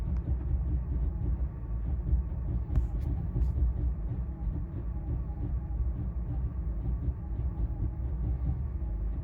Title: BMW E90 cold start rough idle caused by eccentric shaft sensor